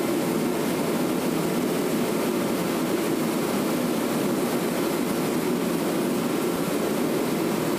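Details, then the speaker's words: Torpedo heater after $33 repair of mouse damage, lid back on, thermostat up: steady even roar from burner and fan with no surging, sputtering or rattle; heater running normally. "See if it works. Hey! Success! Success! Cost $33, a little bit of time, all because of a stupid mouse."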